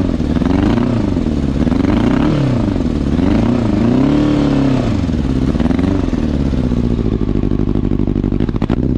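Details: 2000 Yamaha R1 (4XV), somewhat warmed up: loud, lumpy, wavering engine note, running on three cylinders because the carburetors are leaking air at the intake. Misfire from a carburetor intake air leak, before repair.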